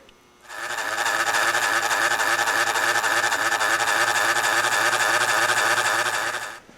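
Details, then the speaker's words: Toshiba Satellite L955 laptop, before fan replacement: loud, steady rattling whir with a hard buzzing edge and fast flutter; noisy cooling fan making a terrible racket, replaced with a new fan. "one thing is the fan is making a terrible racket on it I'll show you what it sounds like here so"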